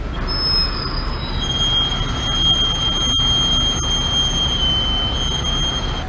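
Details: 2011 Chevy Camaro back about 5,000 miles after a brake replacement on all wheels: a piercing high squeal rides over road rumble as the car rolls, traced to a stone trapped in the disc brake.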